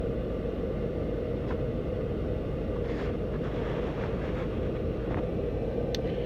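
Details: Toyota Camry AC blower motor just replaced: steady, even low rumble of moving air with no squeal or ticking; healthy blower, normal operation.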